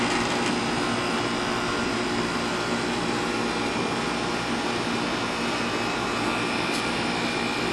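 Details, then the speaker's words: Air conditioner condenser after replacing bulged bad capacitor and contactor: steady, even fan whir over smooth compressor hum, no clicking or chatter; running normally, bad capacitor confirmed as cause. "right folks and now you see it running so sure enough it was a bad capacitor"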